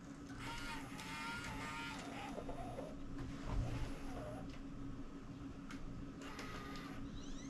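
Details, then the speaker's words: Sony Handycam DCR-TRV310 Digital8 camcorder, running a cleaning tape in record after cleaning the pinch roller, heads suspected dirty: faint steady mechanical whir with light hum, no knocks or squeals; nothing unusual heard. "I'm not really hearing anything in there that sounds unusual."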